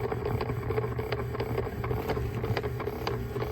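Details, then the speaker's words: Jeep parked with everything off: steady clicking about three times a second over a faint whir, coming from the HVAC blend door actuator motor behind the glove box. A new part is to be fitted. "it's that little motor right there it's causing that"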